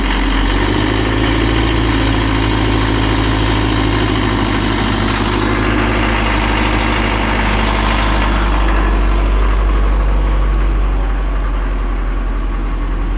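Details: Cat 950 loader diesel, run after sitting about 15 years, water drained from fuel, old filter with water separator refitted, new 24V batteries. Settles into a low, steady idle after a brief rise in revs, no knocks or misses; normal idle.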